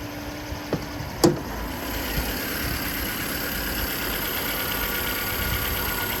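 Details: 2010 Ford Flex Limited AWD EcoBoost with AEM cold air intake, about 309,000 km, hood open: a couple of brief clicks then steady, even idle with smooth low hum, no knocks or misses; normal idle.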